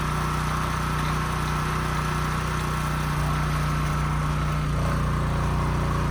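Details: Husky portable generator that sat 5 years with bad fuel and a leaking gas tank, after carburetor cleaning, fuel-flow fix and a new governor spring, run outside: steady governed hum at one pitch with no surging, output close to 61 Hz, running smoothly.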